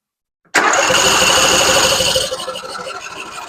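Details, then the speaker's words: Husqvarna RZ46i zero-turn mower, sat for years, choked during fuel system cleanup: starter spins hard under two seconds, engine never fires. "I'm trying to get I'm trying to like super choke it where it's going to pull some of that stuff up in there."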